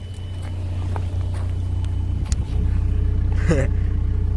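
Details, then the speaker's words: Manual VW Mk4 Jetta TDI diesel with new battery and missing serpentine belt, starting right up: deep, steady diesel clatter at idle with an even beat and no misses or knocks; runs smoothly. "engine runs like a champ runs man"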